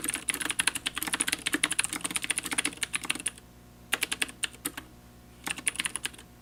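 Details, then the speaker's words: Leopold FC750R with Cherry MX Blue switches: fast sharp clicky keystrokes with a bright ring on some spacebar presses; spacebar ping, not noticed when on a long mouse pad. "so the keyboard definitely does make a lot of more noise than any other board you're going to try and I noticed that I heard some pinging when I was pressing the spacebar"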